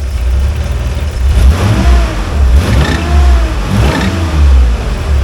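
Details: 1986 Nissan 300ZX, 3.0 litre non-turbo, about 100,501 miles: strong, even note climbing smoothly through several quick revs and settling back, no knocks or misses; normal revving.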